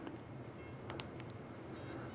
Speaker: wasn't that sound doo doo doo doo doo that means it's entering programming mode